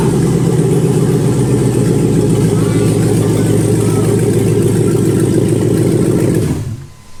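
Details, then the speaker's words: Texas Speed shop truck, running on an old tractor battery with some oil in the engine: took a while to crank, then fires to a strong, even idle with a steady low rumble, no knocks or misses; sounds healthy; oil pressure unchecked. "Hey, she fired up. Did fire up though. Took a little bit to crank to start it, but I think it sounds healthy."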